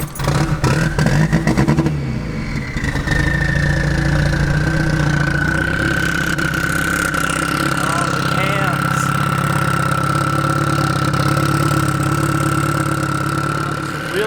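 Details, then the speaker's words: 2005 Mitsubishi Evo VIII with custom turbo kit, new cams, head studs and rewired fuel pump, before dyno tune: rising whine at startup then uneven, loping chop idle; cam timing not set, untuned, runs weird. "So the timing isn't set on the cam, so it's not tuned very well at all, and it runs really weird, so I can't get on it."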